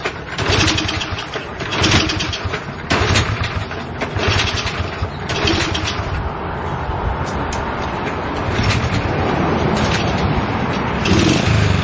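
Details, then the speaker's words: Honda CL70 single with idle set higher than before: uneven putter that stumbles and sags when the throttle opens, then picks up. Jets already raised 73 to 75 and 38 to 40; lean mixture suspected, not confirmed. "you hear that dead spot when it starts to suck that air in and bogging down and then it picks up"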